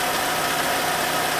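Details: 2011 Citroën C4 1.6 16V hatch, after replacing the clutch kit and an SKF bearing to cure clutch noise and pedal judder: steady, even idle hum with no knocks, rattles or clutch chatter; normal idle.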